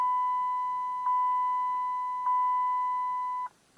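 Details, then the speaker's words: 2008 Dodge Avenger after oil pan gasket replacement, ignition on after oil change reminder reset: clean high chime three times about every 1.2 seconds; airbag warning, owner says failed clock spring not yet replaced. "yeah i got airbag white i gotta fix it's the clock sensor that went out"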